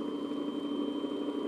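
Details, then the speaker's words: Electric motor rated 1725 rpm, run unloaded on a test hookup before fitting to a Diresta bandsaw under restoration: a steady, even hum with no knocks or rubbing; normal running. "sounds good all right all looks good here"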